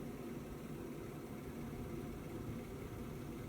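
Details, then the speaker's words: 5kW Chinese diesel heater, heard outdoors next to a running car for comparison: a steady, low exhaust roar with no pulsing, louder than the car or the central heating. The owner suspects the silencer; unconfirmed. "Yep, it's definitely louder, is that? It's more of a roar. It could be down to the silencer."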